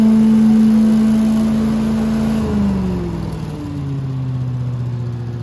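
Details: Billy Goat leaf vacuum after impeller replacement, service and new pull cord: small petrol engine settles from a high steady drone to a lower even hum, no scraping or knocking from the fan; runs clean.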